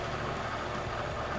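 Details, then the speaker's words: Lathe turning an Aermacchi front hub after adding a counterweight for balance; even, steady spin with no wobble or thumping, smoother and cutting nicely; smooth lathe running. "that's smoother. And that's cutting nicely."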